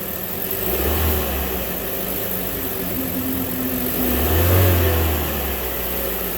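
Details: Chevy Cruze engine started after a timing belt replacement: it catches and settles into a steady, even idle, with two clean rev blips that rise and fall smoothly; sounds healthy.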